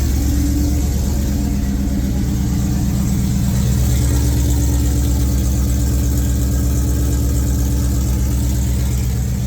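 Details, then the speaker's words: Freshly built engine in a 2003 SVT Cobra V8 on first start: light regular tapping about three a second at idle, seemingly from the valve cover; cause not yet confirmed. "Started off really good, and started hearing a little bit of a tapping noise. And so I took the supercharger belt off to eliminate the supercharger, and the noise is still there. It sounds like it's coming from the valve cover here."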